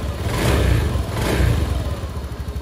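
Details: Honda Beat Street scooter, after clearing MIL code 12 (injector) and reconnecting a connector so the warning light no longer blinks: fires up and revs cleanly twice, rising and falling without stumbling, then settles to a steady idle; running normally.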